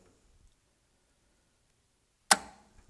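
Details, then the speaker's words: Goulds/CentriPro D10020 wastewater pump control panel, selector set to pump one only, float switches simulated (off then on float): near silence, one sharp clack as the contactor pulls in, then low hum as pump one runs; normal contactor pull-in. "right let's double check you can hear it but pump one is running"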